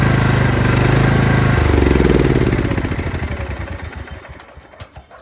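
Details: Craftsman LT2000 lawn tractor engine starts and runs fine, then after 10–20 seconds surges and gasps: steady idle shifts pitch into uneven gasping beats and fades, fuel starvation; owner suspects collapsed old fuel line, fuel filter or fuel solenoid.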